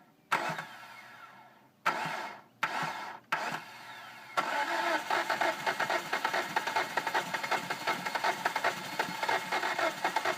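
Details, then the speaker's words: 2005 Hyundai Sonata 2.4L DOHC, timing belt replaced after bent exhaust valves: several short cranking bursts with gaps, then it barely catches and runs unevenly; hard start, cause unknown, with carbon-fouled new plugs and gas smell in oil. "anyways obviously you guys can see that it will start because we just had it running but this is the steps that we usually have to take to get it to start"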